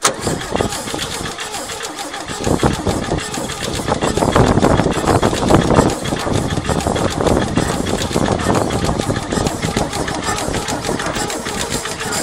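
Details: 1972 Chevy pickup, sitting in a pasture for 24 years, being primed with gas while cranked; the starter churns it over unevenly for several seconds but it never catches. Cranks without starting.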